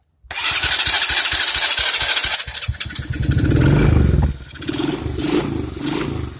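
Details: Taotao Boulder 125 Chinese ATV that runs but won't move and dies: sharp popping from the top end about three times a second with a hiss, then ragged revving; fluid seeping off the head. Blown head gasket suspected.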